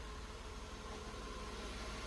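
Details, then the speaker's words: Mercedes W124 idling steady with no hiss after fixing a vacuum leak at the headlight leveling knob fitting; normal idle with no vacuum hiss. "Now we can go ahead and test that. There's no longer a vacuum hiss at that leveling knob."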